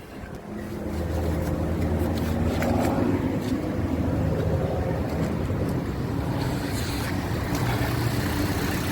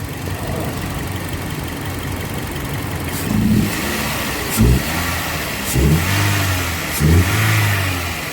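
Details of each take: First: 2007 Toyota Yaris at idle with AC on, customer reports jerking, hunting and misfire: slightly uneven stumbling beat, mild misfire traced to a failing ignition coil. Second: 2007 Toyota Yaris petrol engine after the faulty ignition coil fixed its misfire and hunting: smooth idle, several quick throttle blips, settles evenly, no problem now.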